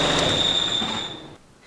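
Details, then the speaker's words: Audi A2 engine running, clutch pedal pressed: thin steady high whistle that dies away on release; defective clutch release bearing. "So, the engine is running and if you now step on the clutch you can clearly hear the release bearing defective"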